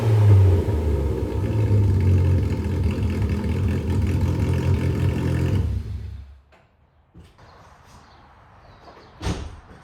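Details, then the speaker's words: AWD Toyota Matrix: loud, deep raspy rumble swelling as revs climb, then dropping off; straight-piped exhaust. "It is a little bit louder than stock because it doesn't have that secondary cat and resonator"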